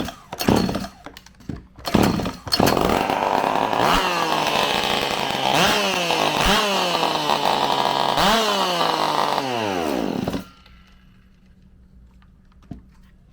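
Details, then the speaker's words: Stihl MS192TC chainsaw run with the muffler removed; it fires and snaps through quick revs cleanly with no bog, so a clogged muffler or spark arrestor is suspected as the cause. "that definitely could be the issue she really fired up there"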